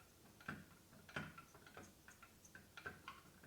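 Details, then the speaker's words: Stihl 4-Mix small engine stopped, flywheel rocked by hand at top dead center: light, uneven clicks and clunks with piston not moving, from a worn connecting rod; main bearings also worn. "The connecting rod is worn out in this. The rod that connects the piston to the crankshaft is worn out."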